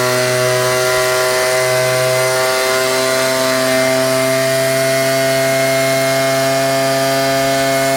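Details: Ryobi 38cc two-stroke backpack blower, after a cold start with choke: high, steady scream at full throttle with constant pitch and no surging or sputtering; normal full-throttle running.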